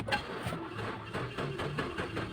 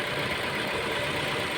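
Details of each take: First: Mazda 6 after fixing no power, no crank, no start: slow, uneven chugging crank of two to three beats a second drags on before catching; weak, non-original battery near failure causes long cranking. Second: Mazda 6 with 65,000 on the odometer, now starting after a no-crank, no-start, no-power fault traced to the steering lock: short steady run with a hissy top end, no misses, knocks or hunting; even, healthy idle.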